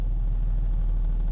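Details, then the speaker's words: Nissan 4.0L V6 in reverse, foot on brake, warm, after raising the factory-low idle by 100 RPM with an OBD interface: idles around 800 RPM with a low, steady rumble, smooth and free of the earlier rough stumble. "as you can see, my engine RPMs are running right around 800, which is about 100 more than it was before. And now the engine is nice and smooth."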